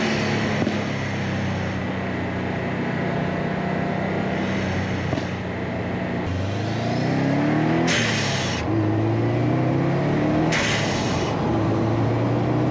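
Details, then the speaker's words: 2008 Subaru Legacy GT, GFB hybrid blow-off valve just installed: the engine revs and falls back with very loud bursts of pops and hiss from the exhaust as the throttle shuts. "Okay, so I don't know if you guys heard that, but there were some really, really, really loud pops. I mean, at least to me, they're super loud."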